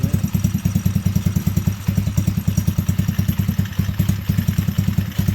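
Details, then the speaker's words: T-Rex go-kart single-cylinder after crash repair, choke partly pushed in: idle thumping at a slow, slightly uneven beat around 200 pulses a minute, otherwise smooth; idle sits a touch too low. "Sounds like the idle ought to come up just a little."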